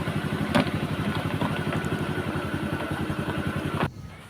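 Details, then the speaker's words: Honda Vario 125 (KZR): starts on one crank and idles evenly at about 1300-1400 rpm, a quick steady putter with no misses or hunting; normal, stable idle. "Sudah dihidupkan, itu hidupnya gampang ya, sekali engkol juga langsung hidup. Terus kita cek datanya di sini, RPM-nya itu stasionernya di angka 1400-an ya, itu artinya normal ya, stabil."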